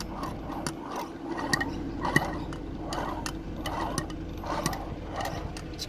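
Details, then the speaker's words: Mercedes-Benz W124 300CE 24 emissions-system air pump, removed from the car, clutch and pulley off, turned by hand. Rough, gritty click-and-rasp about twice a second: the bearing is gone after a month of grinding before failure. "yeah so the bearing is definitely gone hear the noise in there"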